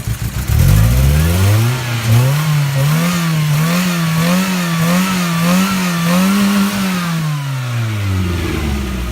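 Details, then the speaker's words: Toyota Tercel after Seafoam treatment, revved up and down repeatedly: a raspy, puffing edge over the exhaust note from major exhaust leaks at the front; cylinder 4 is also the main issue. "got some pretty major exhaust leaks right up front here obviously"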